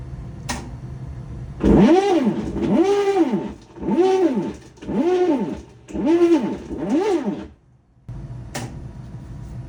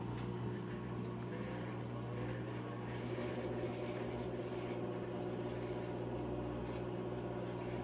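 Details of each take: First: Whirlpool/Maytag commercial top-load washer MVWP576KJ/1, grinding and not washing or spinning: six rising-and-falling groaning strokes about one per second as agitator tries to swing; worn agitator hub splines slip on transmission shaft. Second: Whirlpool/Maytag commercial top-load washer MVWP576KJ/1 after agitator repair for grinding, not washing or spinning: drain and spin with steady, even motor hum and smooth whir, no grinding or knocking; runs normally.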